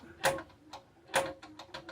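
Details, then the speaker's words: Powerglide transmission shifter noise: the shift detent roller has slop and is out of alignment, so it catches rather than hitting the tin plate, giving light, irregular sharp clicks over a very quiet background. "right there it's not hitting that tin plate making that noise no it's actually catching"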